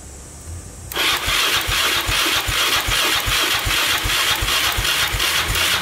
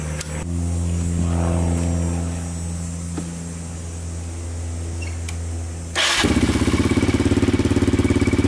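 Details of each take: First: 2002 Yamaha Raptor 660 after timing chain and bent valve replacement, choked, first start attempt: starter grinds at about two and a half even thumps per second, too slow to fire; charger not turning it fast enough. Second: 2002 Yamaha Raptor 660 single after timing chain and bent valve replacement, on stronger portable charger: steady hum, then fires instantly and settles into crisp even thumping idle without misses or rattles; healthy.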